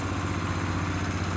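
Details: Nissan CDA20 90hp marine inboard with Z-drive sterndrive on a newly assembled 6.30m boat, launch test; steady even low rumble with smooth idle rhythm, no knocks or misses, healthy normal idle.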